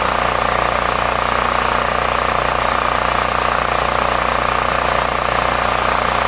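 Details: Homelite 5000 W 389cc 13 hp generator (possibly Tecumseh), hard to start with leaking carburetor, now running after fix without gas leak: steady, even single-cylinder drone with no misses or surging; normal running.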